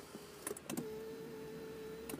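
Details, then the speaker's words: 2021 Mazda CX-9 driver's power seat: after a couple of clicks, a steady mid-pitched motor whine lasting about 1.5 seconds, louder than a seat motor should be, vacuum-cleaner-like; a noisy electric seat motor. "Nah, tapi agak aneh sih. Ini electric seat-nya agak sedikit berisik ya."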